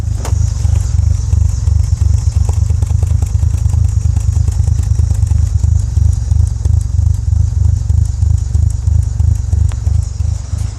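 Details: Mitsubishi 4G64 engine converted to 4G63: lumpy idle, pulses stumbling unevenly about three a second with loose clatter on top; rough idle, cause unknown.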